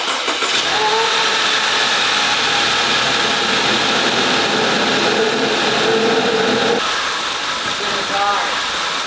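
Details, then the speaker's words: Audi A5 rebuild after new airbags and cooling system: engine catches and runs ragged and shaky across all cylinders with no steady rhythm; misfire on all cylinders, crankshaft position and MAF sensor codes, MAF sensor suspected but not confirmed. "this thing I don't sound right should I shut it off"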